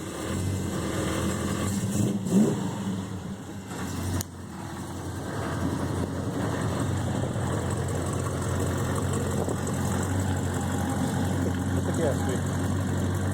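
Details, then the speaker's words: 1970 Dodge Charger R/T, rebuilt 440 V8 (1969-dated block), automatic, frame-on restored: starts right up, deep even burble settling after a throttle blip, steady firing, no knocks or misses. Normal V8 idle. "Sounds great, runs great, and will for sale on Velocity Classic Cars."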